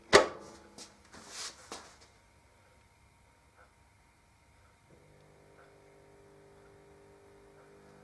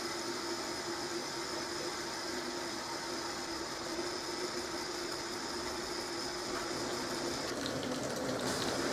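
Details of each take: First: Zanussi ZDT5152 dishwasher that fills with water on start: a faint steady low vibrating hum and nothing else happens; mice had been in the machine; drain pump stalled with impeller clogged by debris. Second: Zanussi ZDT5152 dishwasher, which hummed at start-up, after repair and reassembly: even hiss of water filling immediately with a faint steady hum, no groaning or buzzing; fill valve working normally.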